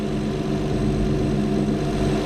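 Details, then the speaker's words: 2012 Acura TL after replacing the drive belt tensioner: smooth steady idle hum with no squeal, chirp or rattle from the belt side; belt stays aligned and quiet. "everything line up with no noise everything"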